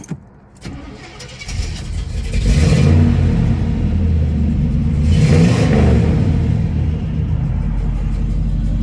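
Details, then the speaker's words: 1971 Chevrolet Monte Carlo, factory LS4 396/402 ci 6.6 L V8 (300 hp, hydraulic lifters, TH400 automatic), dual exhaust: big V8 fires up, two clean rev blips over deep even rumble; no weird noises, healthy start and rev. "Sounds really nice. Dual exhaust. I'll walk over to the engine compartment now. No weird noises, no nothing. It's perfect."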